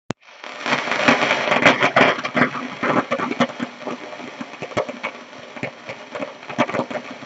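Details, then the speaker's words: Hallicrafters SX-42 receiver with no antenna: steady hiss with irregular sharp crackles and pops at a few per second; crackling noise that cuts off when the band switch changes; owner suspects a bad capacitor or wafer switch, unconfirmed. "That noise can be caused by three things. Local thunderstorms. That's what I thought it was."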